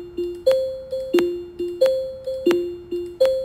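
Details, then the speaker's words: Tesla seatbelt warning: a repeating two-note chime, low then high, about ninety per minute. The higher tone means a rear seat belt is unbuckled, while a low tone indicates the front. "이 소리 를 들으면 " 아 , 높은 음의 소리 는 뒤쪽 이라는 뜻이구나 " 라고 생각 할 수 있습니다 ."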